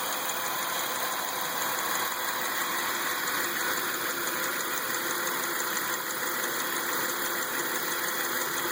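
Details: 2003 Chevrolet Lumina, Ecotec 3800 3.8 V6 petrol at idle: light, uneven tick about three per second over a steady high whine, owner suspects alternator for other noises; tick cause unconfirmed.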